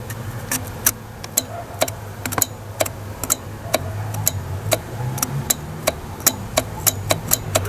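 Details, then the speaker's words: Citroen ZX 1.9 diesel XUD9 with swapped-in Bosch injection pump, key on; crisp sharp clicks about two a second over a low hum as the power plug is connected and disconnected: stop solenoid clicking normally. "and the reason it's clicking multiple times is because i'm just plugging and unplugging the plug"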